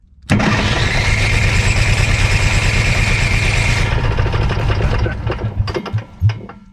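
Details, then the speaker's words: Onan 4000 generator on a Class C motorhome, with a new electric fuel pump and the carb altitude screw turned fully right to lean it: catches, runs rough about four seconds, sputters and dies; the high-pressure pump overpowers the carburetor, flooding the engine. "You can't hear it because the engine's loud, but the fuel pump is pumping at the same time, and it's flooding the engine again, because I still haven't realized that that high pressure pump is too strong for the carburetor."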